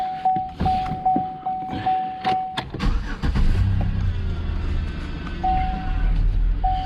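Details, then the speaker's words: 2010 Chevrolet Impala 3800 V6 after power steering pump replacement and bleeding: dash chime, engine starts and idles smoothly with no pump whine audible; slight growl remains when turning the wheel. "you can hear the idle you can't even hear the pump now"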